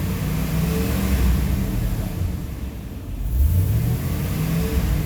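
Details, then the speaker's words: 2002 Chevrolet Silverado 1500 HD revving with the AC on: light, uneven, intermittent rattle that stops when the AC compressor is switched off; AC compressor rattling internally. "now there it goes doing it again now if I turn off the air conditioner compressor the switch and rev it you won't hear that anymore"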